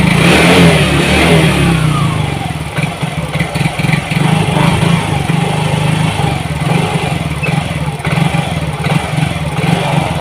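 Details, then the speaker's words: Yamaha Mio GT fuel-injected scooter, hard starting, won't hold idle, before injector replacement: small single revving unevenly under held throttle, choppy and hunting; fuel pump not weak, injector dirty and clogged (injection 2.5–3 ms, trim adding 7.7–7.8%). "Jadi bukan full pump yang lemah kawan ya. Jadi injektor di sini itu dia itu mulai kotor ya, mampet."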